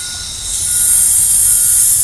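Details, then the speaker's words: Air compressor regulator valve: steady sharp hiss builds as pressure turned up above about 40 psi, gone when turned down; leak inside valve not joints, suspected dirt; cleaning and WD40 lube fixed it. "that hissing noise? It's leaking air. Now I'm turning it down. When it has lower pressure, you don't hear it leak."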